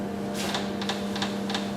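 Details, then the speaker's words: Micro droplet system's two pressure pumps pressurizing the chambers toward a 250 mbar setpoint, reading about 140 mbar: crisp evenly spaced clicks about three per second over a steady low hum. Normal pump cycling. "so I set a pressure of 250 millibars and this is around 100 40 millibars so again we're pressurizing"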